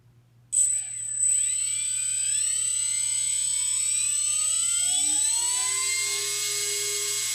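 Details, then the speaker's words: Two small electric motors on an RC balsa cargo plane, props removed, wind up to a thin steady high whine at full rpm with pitches almost identical, meaning similar thrust per wing side; normal run-up. "when you get to the full rpm of the motor you can really hear the two being almost exactly identical in pitch which means that the power thrust per wing side is going to be really similar"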